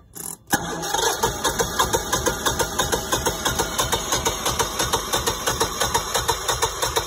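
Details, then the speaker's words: New Generac standby generator on freshly installed propane, first manual test start after letting gas lines bleed: starter cranks briefly, engine catches and settles into an even beat about three per second; normal, clean start and idle. "all right so it's gonna give the starter a break but it sounds like it's [Music] [Music] beautiful well that didn't take long at all that's exciting"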